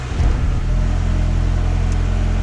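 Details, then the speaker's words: Throttle body connector broken by a previous mechanic, check engine light on: steady low idle that never climbs with the gas pedal pressed; connector to be replaced by splicing the wires one by one. "look at rpm if I press the gas pedal nothing happens I'm pressing the gas pedal down there nothing happened"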